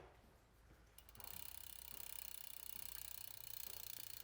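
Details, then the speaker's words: Intense 951 gravel bike rear wheel after caliper realignment and retorque to 6–8 Nm: the wheel spins freely with only quiet, even cassette/freehub clicking and no brake rub. "So at this point, you can see that the wheel's actually spinning freely now, and also you can hear that the brake's not rubbing at all. All we hear is the cassette."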